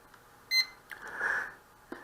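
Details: Hubsan H122D X4 Storm quadcopter: a short high beep, then a softer rising tone and a final chirp as the transmitter is powered on and binds to the quad; the link is normal.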